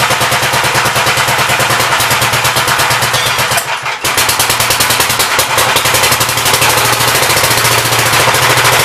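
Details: 1959 Gravely LI single-cylinder engine with 20-over piston, oil had been mostly water; fast steady popping about three beats a second, crisp even exhaust pulses, good oil pressure, running smoothly.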